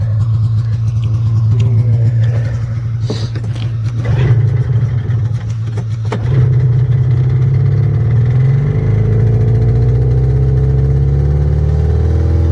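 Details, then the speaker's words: A $25 used two-stroke snowmobile on a cold trail ride, after a suspected fouled plug: the buzz climbs and settles cleanly through the revs with no stumble or popping; running normally again. "That's running fine, huh? It's fine now. This thing is just as fast as my Indy 500, dude."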